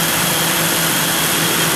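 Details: 1982 Jeep Scrambler 4.2 straight-six converted from carburetor to fuel injection with a Howell kit, throttle linkage fixed. Loud, even drone holding steady without stumbling or hunting; normal smooth idle.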